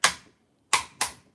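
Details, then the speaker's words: Front differential of an OFNA nitro RC truggy (Novarossi engine) turned by hand: sharp dry clicks, three in about a second and a half, stripped gear teeth skipping. "It's a strip job. I'm going to go the other way now."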